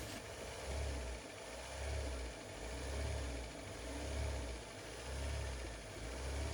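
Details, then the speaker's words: Nissan N16 with QG16 engine: idle swells and sags in a steady rhythm about once a second; scope shows the idle air control valve getting only flat 12 V, no PWM from the ECM, traced to tampered IAC wiring and a burnt ECM. "Confirm this idle control valve is not getting the pulse width modulation from the engine control module."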